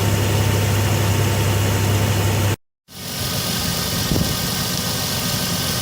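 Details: Old diesel van long left sitting, just started cold with a lithium jump pack: steady, even low drone after catching, no knocks or misses; idling smoothly, alternator charging.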